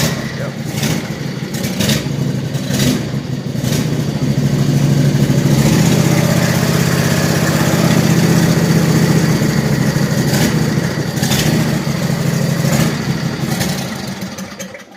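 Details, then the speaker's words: Troy-Bilt zero-turn with Briggs & Stratton Intek 23 HP V-twin, hard to start and running rich, run without air filter: smooth at high rpm but at low rpm swells and sags repeatedly; surging, internal carburetor problem suspected, air filter ruled out. "however when I put it back in slow low rpm started to search so that just confirms that the air filter was not the issue there's an internal problem with the carburetor"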